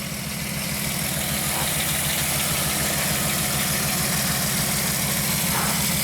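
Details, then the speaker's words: 1998 VW Eurovan with codes P0304, P1216 and P0300. Warm idle with an uneven low thump and a regular stumble, shaking rather than smooth: a cylinder misfire, suspected at cylinder 4, with its injector not firing. "engines definitely misfiring right now it's not terrible but it is definitely shaking"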